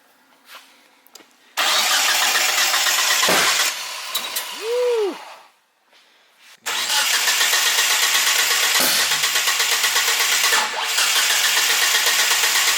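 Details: 1G GSX AWD big-turbo build that ran before, being cranked to start. Long harsh cranking bursts with uneven, detonation-like pops and no catch; the ignition coils are all firing together through chafed, shorted wiring, and the coil packs are suspected.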